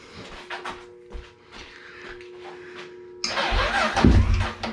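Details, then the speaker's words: Honda 400ex ATV that sat for years, hard-used: sluggish, uneven cranking for about three seconds before the single fires and catches; the starter turns slowly. "that drags too slow I mean it doesn't definitely doesn't turn I mean it doesn't help with the battery but uh something doesn't sound just quite"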